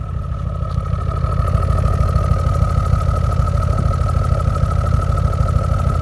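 Deep, uneven idle with a pulsing low rumble and a steady faint tone above; the engine isn't settling smoothly, a rough idle.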